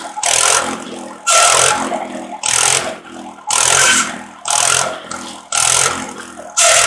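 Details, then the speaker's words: Antique buzz saw rig powered by a Wisconsin THD engine, revived after sitting for years, mouse nest cleared for cylinder cooling airflow, cutting slab wood: loud cuts about once a second, engine pulls each without bogging, successful test run. "well i'd say that was a successful test run"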